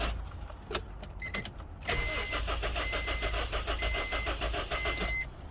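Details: Honda towed to shop with no start and no spark: starter spins the engine in a steady, even chug for about three seconds but it never fires; crank no start, cause suspected, not confirmed.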